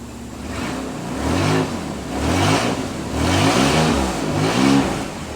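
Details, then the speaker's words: Nissan Z31 engine, not yet warm, after swapping back mixed-up spark plug wires 4 and 6 and refitting the coil wire: revs blip up and settle cleanly with an even beat and no misfire; now runs much better, normal running. "put the coiled wire back on jesus okay now it runs a lot better"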